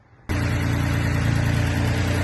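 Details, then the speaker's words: Mitsubishi 3000GT after A/C compressor and line replacement: steady even idle with low hum, no grinding and no smoke anymore; no leaks and A/C blows ice cold. Normal idle, compressor grinding fixed. "As you can hear, no loud noises. And it doesn't smoke anymore either."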